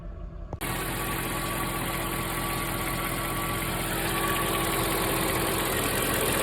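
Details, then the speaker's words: Mercedes E420 V8, warm at idle after a drive and after treatment for valve noise, faint steady whine and light ticking over the hum: valvetrain noise seems gone but an unidentified abnormal noise remains. "I do hear something that sounds like it's from the but I don't hear any valve train noise right now which is awesome"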